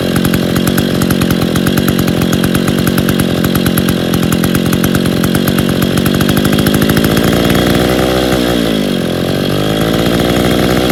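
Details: Stihl 070 chainsaw just rebuilt (bottom end reassembled, new seal, excess axial play removed; choke and clutch not yet fixed, no cover or bar) buzzes hard and even at high revs, then winds down smoothly: normal running.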